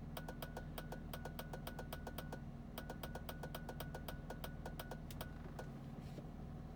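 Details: 1999 BMW Z3 2.3 (2.5 L six): pressing the clutch sets off fast steady relay-like clicking, about six a second, until the clutch is released. Noise confirmed from the EWS 3.D immobilizer module; car is sometimes hard to start.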